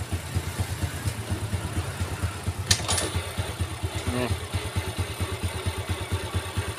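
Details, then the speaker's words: Yamaha 4-stroke underbone motorcycle, right engine side: idle smooth in neutral at about two beats a second but coarse, rough crackling when put in gear. "Sekali lagi saya coba nih ya krusuk-rusuk kresek kresek kresek kayak gitu suaranya ya netralin halus lagi"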